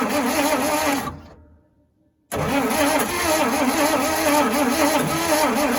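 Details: 1956 Dodge C3-H6 1.5-ton truck, not run in 20+ years, mixed gas added for lubrication: even starter cranking about four beats a second, a brief pop, then more cranking that never catches; spark present but plugs wet and fouled.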